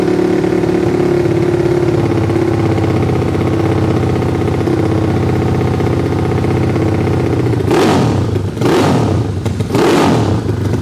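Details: Yamaha Fino scooter rebuilt as a 200cc race engine for the 200 class, total-loss electrics with charging removed: loud, crisp single-cylinder idling steadily, then three sharp rev blips rising and falling cleanly; healthy.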